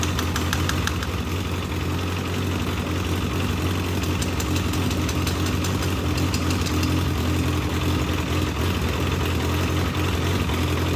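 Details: Legends race car after motor swap, first start-up: lumpy, uneven idle with heavy low rumble and irregular stumbling; carburetor flooding badly on a system meant for a two-pound fuel pump, so carburetor must come off.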